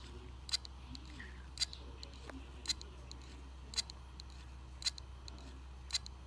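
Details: Hard drive from an old broken pink Dell laptop, plugged in over USB with no computer attached; sharp even clicks about once a second, no spin-up hum; the drive is not rotating; click of death.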